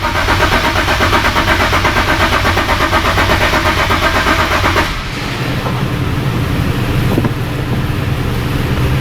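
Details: 2008 Nissan 370Z, no start with no stored fault codes; it starts only with the bank 1 cam sensor unplugged: steady cranking at about three compressions a second that never catches; camshaft timing fault.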